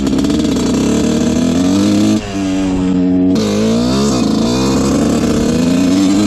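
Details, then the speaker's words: Honda CR125 two-stroke dirt bike (1986/87) on its first ride after a pipe fix: revs climb sluggishly and sag with a flat spot; it is still very boggy, and with good compression and spark the owner suspects the carb. "first ride on this thing it is very boggy still so our pipe fix did not seem to work"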